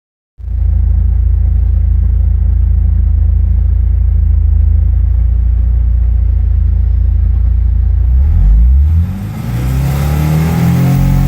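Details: 1986 Porsche 944 non-turbo with new wires, 2° timing advance and chip: deep, slightly uneven idle, then revs rise and stumble as power cuts out above about 5000 rpm, running badly as revs fall; misfire predates the mods.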